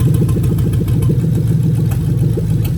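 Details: 2000-2003 Lexus LS430 3UZ-FE VVT-i V8 idling during a new engine harness injector test. With one injector disconnected, a lumpy, stumbling beat in the low rumble marks the misfire.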